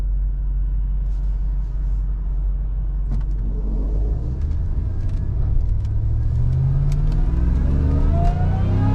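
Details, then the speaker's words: 2005 Joe Gibbs supercharged Tahoe after transmission repair for a burnt band slipping in 2nd and 4th, fluid topped off and tuned, on test drive: engine pulls steadily with rising pitch and clean, firm shifts, no flare or slip. "see i made sure second gear was nice and firm and you know the whole transmission real snappy so here we go"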